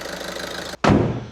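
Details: Skoda Superb 1.6 TDI diesel after new injectors fitted, coded and learned, repair finished; smooth, even clatter at steady idle with no misses or knocks, then a single thump; normal healthy idle.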